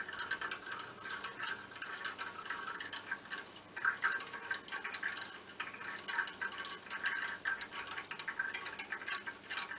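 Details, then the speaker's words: Hot-water heating radiator: quiet irregular bubbling, gurgling and trickling like water running into an open free surface; diagnosis is air trapped in the radiator. "je to takový bublání, zvrčení, jako když voda natéká do nějaké volné hladiny. Když se konkrétně podíváme blíž na ten zvuk, je to opravdu takový zvuk, jako když vytéká voda do volné hladiny."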